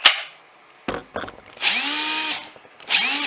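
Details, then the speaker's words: Milwaukee M18 Fuel cordless drill, about 10 years old, just repaired with new brushes after it died: short trigger pulls, then a steady whine rising and falling with the trigger, smooth with no grinding; runs as it should. "and it does like everything is supposed to do"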